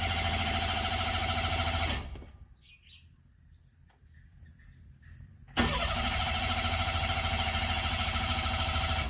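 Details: Mira crank no start: even starter cranking that never catches, pause, more cranking without firing; caused by failed in-tank fuel pump, replaced at shop.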